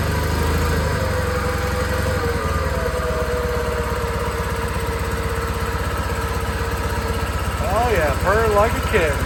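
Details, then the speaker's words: John Deere 318 garden tractor engine after carburetor cleaning to fix surging, no choke: steady even putter at idle, no hunting or surging, picking up cleanly as throttle opens; runs healthy now. "Oh man. Hey, that that runs real good now. So, this just need a little bit of carb clean."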